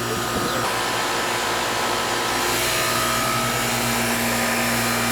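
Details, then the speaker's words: R22 Goodman AC condenser, called in for not cooling the house, running after the bad start capacitor was found, before the refrigerant charge check: steady, even fan rush over a low mains hum, no clicking or labouring. Normal running. "it looks like it's gonna probably be okay but we're gonna check it anyway just for just for shits and giggles"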